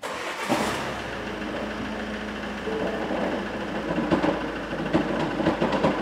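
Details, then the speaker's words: 2016 Ford Mondeo Mk5 2.0 diesel, 134,000 miles, original clutch and flywheel: starts and idles with an uneven, terrible metallic rattle and clatter from a badly worn dual mass flywheel before the flywheel and clutch are replaced. "I'm gonna run this engine and see if you can hear the noise this fly was rattling more than the noise it's making it's absolutely terrible here goes"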